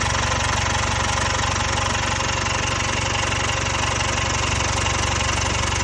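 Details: Jaguar XE 2.0 Ingenium diesel at idle: a constant fast metallic clatter about three beats a second over the engine, pointing to stretched timing chains.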